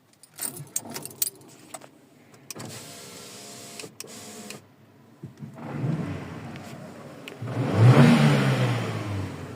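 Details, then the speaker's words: Car engine just after air filter change: quiet at first, then revs smoothly with immediate rpm response, no knocks, rattles or whistles; healthy, responsive engine. "Déjà, le régime moteur, il change déjà de suite. Ça, c'est déjà radical."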